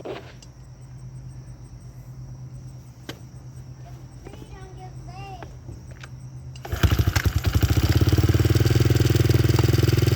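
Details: Honda XR70 with freshly installed TB 88cc big bore kit and Hotcams cam chain, first start: fires on one kick, settles to steady single-cylinder thump about three beats a second; clean healthy idle.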